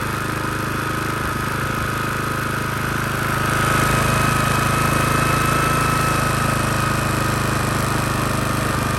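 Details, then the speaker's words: Honda GCV160/190 engine after storage, carburetor cleaned as fix, started with a drill: small single-cylinder putters at a fast, even beat, no surging or misfire; normal running after carb clean. "Beautiful. Just needed a carb clean."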